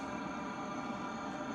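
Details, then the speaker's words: Shed heater running without its optional muffler fitted on the exhaust end: steady, unbroken exhaust roar with low even drone, quite a bit of noise but burning normally. "And I don't know how much you can hear that through the mic, but it's actually quite a bit of noise. There is a muffler that can go on the end of this if you want to, but"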